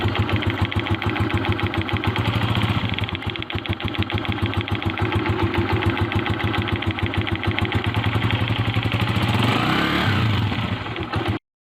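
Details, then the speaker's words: 2022-model 125cc motorcycle engine idling with a quick steady tick over the beat, heard from the left side of the engine; owner reports engine ticking noise on the new bike, source unclear, perhaps clutch or cam chain. "Sir जी आपने इस 2022 model bike की आवाज सुनी है बंधा परेशान है चुके 22 मॉडल्स ने लिया है तो ज्यादा खर्च भी है तो इसके इंजन में से आवाज आ रही हूं"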